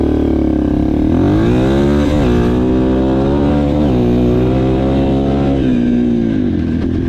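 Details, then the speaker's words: Yamaha TTR230, uncorked and rejetted: clean, crisp revs climbing and falling smoothly, with the deceleration popping gone and quicker rev response; the carburetion is dialed in. "It's all gone. D-cell pop's gone. She revs up way quicker. It's perfectly dialed in."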